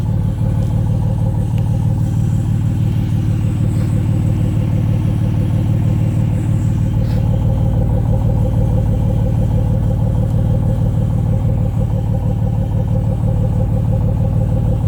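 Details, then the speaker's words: 2006 Chrysler Pacifica 3.5 V6, front-wheel drive, before a new muffler and exhaust: loud, coarse idle rumble with fast steady puffing chuffs, an exhaust leak at the catalytic converter and the muffler. "we have we have an exhaust leak for sure it's a catalytic converter it's leaking and also the muffler"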